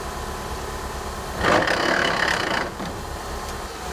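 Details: 2003 PT Cruiser GT manual, hub bearing recently replaced: steady running, then about a second of harsh rasping grind from the transmission as the clutch pedal is released; car failed to accelerate in 2nd gear with grinding.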